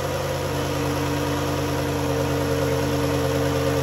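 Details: 2011 Dodge Journey 3.6 V6 after lifter and rocker replacement, cold start: smooth, steady idle with an even low hum and no ticking or tapping; the earlier tick is gone and the engine runs normally.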